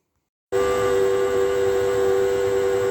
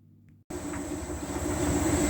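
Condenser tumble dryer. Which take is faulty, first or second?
first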